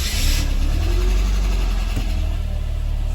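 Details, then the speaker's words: Mercedes 190E W201 M102 engine: short starter burst, catches at once and settles to a steady even idle; normal start after battery replacement fixed the intermittent starting fault, suspected to appear after sitting over 48 hours. "Pude arrancar el motor normalmente. Parece que simplemente cambiar la batería lo solucionó."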